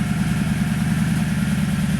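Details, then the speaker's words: 2010 Toyota Tundra 5.7L V8 with new Flowmaster 717786 FlowFX exhaust, cold fast idle heard from about 20 feet away: deep, steady, mellow low rumble with even pulses, no ticks or leaks; healthy normal cold fast idle. "And right now, as you can see, I'm standing about 20 feet away, and I hope you can hear it. It has a nice mellow sound."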